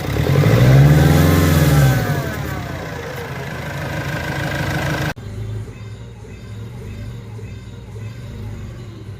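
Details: Nissan Frontier revving: engine climbs and drops back with a low rumble while an unexplained noise rides the revs; cause unidentified.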